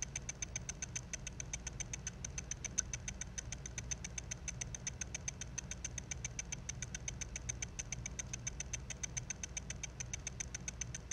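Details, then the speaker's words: Failing, damaged Mac mini hard drive: quiet, sharp, even ticking, three or four a second, over a faint hum, believed to be the read head moving back and forth unable to find the track. "then you'll hear some ticking sounds and those sounds i'm pretty sure are caused by the read head moving back and forth looking to see if it can find the track that is trying to read"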